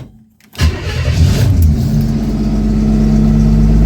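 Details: 1964 Chevy II Nova, sat about a year, now starting on the key after wiring repairs and cleanup; brief crank, catches quickly and settles into a steady, even idle with no stumbling; normal start and idle.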